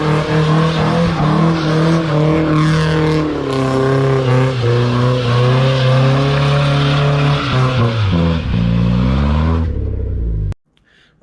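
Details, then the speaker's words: Nissan S14 with SR20 engine after gearbox repair: engine pulls and changes pitch cleanly through the gears with no whine or grinding underneath; gearbox now quiet, earlier noises gone. "guys I'm gonna wrap this mark there we got there in the end it took longer than expected typical but we've got rid of the noises and stuff"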